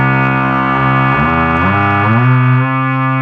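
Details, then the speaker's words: Rare Minitmoog synthesizer, oscillator A set to sawtooth, mixed and switched down an octave. A buzzy, steady tone slides smoothly down and settles an octave lower, holding pitch cleanly. Normal oscillator tone. "Now it's just a sawtooth. It don't matter what preset I'm in on it. It's going to be just a sawtooth only."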